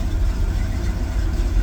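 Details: Engine with recently replaced distributor, new plugs and no codes, still reading cold: deep low idle rising and falling unevenly with occasional stumble, a misfire and hunting idle; owner suspects plug wires or base timing, cause unclear.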